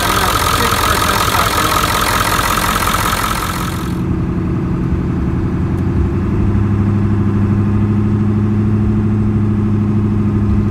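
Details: 1996 Ford F-350 7.3L Powerstroke diesel, started for a leak check after replacing the fuel bowl and the cracked, failed fuel pressure regulator: a hiss dies away, then a steady, even idle clatter with no stumbling. Normal idle.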